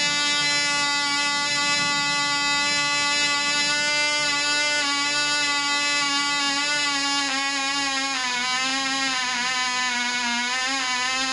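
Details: Small glow engine on a Black Widow mouse racer, 24% nitromethane, 5x3 prop, rerun after loose screws (suspected fuel foaming) were fixed: high, steady buzzing whine wavering slightly as the needle settles, about twice as loud as before, prop wind audible; running better.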